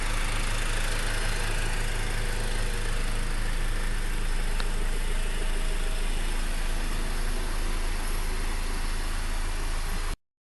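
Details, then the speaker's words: Honda Accord i4 sedan idling, recorded from inside after a trip: even, steady low hum with no knocks, misses or rattles; normal, healthy idle. "This is what it sounds like from inside. I just got back from a trip and there's the mileage. Can't really hear it from the inside."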